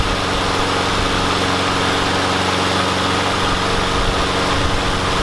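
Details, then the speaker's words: Yard Machines mower with a Briggs and Stratton engine that would not start; after priming, wire-brushing the spark plug and using carb cleaner, a steady, even single-cylinder drone holds constant speed without misses or surging: normal running. "and the carb cleaner honestly that works for me about 85% of the time when I come across the mower so I'm glad I tried it one more time"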